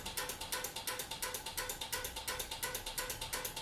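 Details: Relays clicking crisply and evenly about three times a second, switching 120-volt incandescent party bulbs through a converted 12-volt LED strip receiver, one relay per light fixture on the hot side; normal relay operation.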